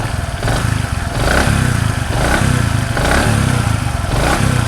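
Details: Bajaj Platina 100 after new piston rings fitted: repeated throttle blips rise and fall smoothly with a clean exhaust note, no piston slap or knock; normal revving.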